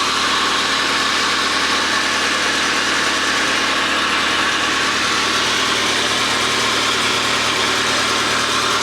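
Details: 1993 Rover 220 coupe, T-series engine, first run after head gasket and timing belt change, crank pulley still needing extra tightening: smooth, even idle with no knocks, ticks or misses; oil on manifold smoking off, small drip from a union. Normal idle.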